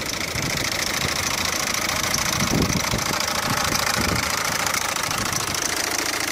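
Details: Peugeot 407 1.6 HDi diesel at idle, clip sent in by a viewer: a busy, rough idle with an uneven clatter about twice a second over a loud hiss. An abnormal engine noise whose source is unclear.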